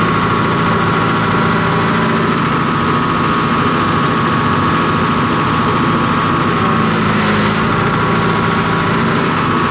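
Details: John Deere 245G excavator diesel, cold, after replacing over-fuelling number 3 injector: steady even running with smooth low drone, no fuel knock while functions are pulled; black smoke cleared, normal.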